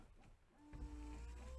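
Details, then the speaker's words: VW Golf 4 rear window washer pump running normally with a steady hum; the lack of washer spray was caused by a faulty rear nozzle, which was replaced, not the pump. "donc avant de paniquer si vous vous retrouvez avec des fuites enfin des fuites un manque de la glace et que vous entendez bien la pompe devant"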